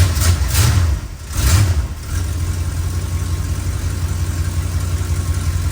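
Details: 1962 Chrysler New Yorker 440 V8, cold start before a carb-first tune-up: low rumble stumbles and surges unevenly on first throttle blips, then settles to steady idle; sputter mostly attributed to being cold, cause not confirmed.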